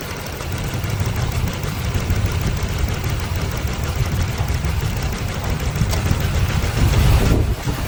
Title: Engine Missing Problem Top 1 Cause #missing #misfire #shorts